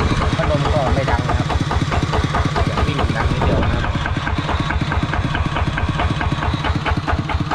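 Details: Used small diesel engine for a walking tractor: even, steady thumping idle with no hissing or leaks. Runs smoothly, normal idle.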